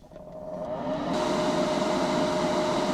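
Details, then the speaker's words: DIY-installed ventilation fan in a used kei-car camper, at maximum airflow before insulating its box. The fan spins up into a loud steady air rush with a fixed hum, measured at 70dB and judged noisy. "Luồng khí tối đa là 70dB. Nó ồn."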